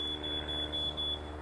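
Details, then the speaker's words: Quick DIY flood alarm made from a battery-powered fire detector with two wires shorting its contact switch, probe dipped in water: shrill high chirps about four per second, a steady pattern, alarming as designed for sump-pump pit use. "There you got an alarm system. An early warning is to wake you up in the middle of the night, or if a pump lets go or whatever."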